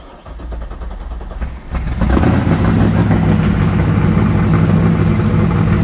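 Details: LS3 resto-mod Camaro with Terminator X and keyless start, cold; fuel pump primed, brake pressed: brief cranking, catches in about two seconds, settles into a steady, even, deep idle with no knocks; healthy cold start.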